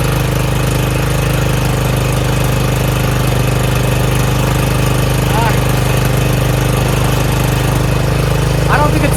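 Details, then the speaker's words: Craftsman RER1000 riding mower after a new fuel filter and a battery charge, oil slightly overfilled: single-cylinder holds an even, steady idle with no stumbles or surges; normal running. "Sounds really good. Fixed. Runs pretty good now."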